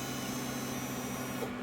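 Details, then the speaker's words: 1977 GMC motorhome, Oldsmobile 455 big block converted to ACE KillShot EFI, at key-on after fixing a failed relay crimp: steady electric hum at a fixed tone for about 1.5 seconds, then cuts off; normal fuel pump prime. "Okay. Yep, we got the prime."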